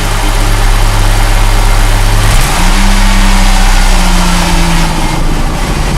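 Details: 2004 Ford Mustang first start after fuel pump replacement: long cranking, catches after about two and a half seconds, then a steady, even low rumble settling into a smooth idle.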